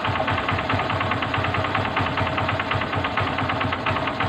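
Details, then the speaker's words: Honda CB125 single-cylinder idling with a quick metallic rattle when the clutch lever is released, disappearing when squeezed; worn clutch damper, not replaced. "Ayan lang pag binita natin yung kanyang clutch damper Yung kanyang clutch lever nalag yun pag pinisil natin mawala a yung clutch dumper yan"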